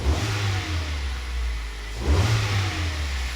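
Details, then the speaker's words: Kia/Hyundai petrol engine, not fully warm, after new coil pack on cylinder 3 and new spark plugs: two light blips rise cleanly from smooth idle and drop straight back, no misfire or stumble; sounds spot on. "But that sounds spot on there now. We'll give it a little rev. Not too hard, obviously, because it's not really warm."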